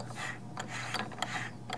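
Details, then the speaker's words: New Melling oil pump for a Chrysler 318/360 small-block V8 (1997 Dodge Ram van, 5.2 L), spun by hand with a 5/16 hex drive; light, even ratcheting clicks, no binding, pump rotates freely, not seized. "this one's moving nicely we're not saying that this pump will build pressure not a foolproof test but at least we know the pump isn't seized"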